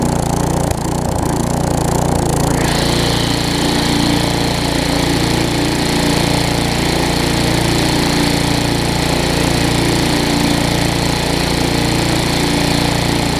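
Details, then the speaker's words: Tecumseh vertical-shaft engine on a weed trimmer after carburetor replacement, full throttle with the trimmer engaged under load: loud steady even note, no hunting or surging; the no-load surge smooths out. "you can hear it doing that but i don't know if i can show it to you whenever i engage it you see how the throttle smooths out"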